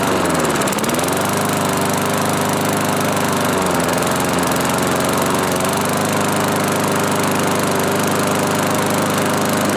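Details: 1986 Murray mower, small single-cylinder engine revived with salvaged parts and fresh oil, started on full choke with pull cord; catches and settles to a steady even drone with no misses or knocks; normal running.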